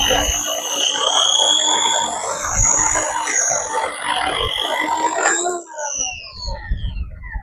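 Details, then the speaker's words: Electric corded chainsaw after sharpening the chain: steady high motor whine holds pitch under load through the cut, then winds down on release, grabbing much more than before; sharp chain cutting cleanly. "Well, it definitely grabs a lot more, and I would say that's a big improvement."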